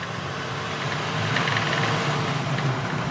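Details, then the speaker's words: L5P Duramax with Allison 10-speed, test drive after repair of failed F clutch piston apply seal: deep, steady diesel roar building evenly as truck pulls away, no knocks, whine or rattle; sounds healthy, shifting well. "Actually sounds kind of good as is. Wow. Still could sound better though, right, folks?"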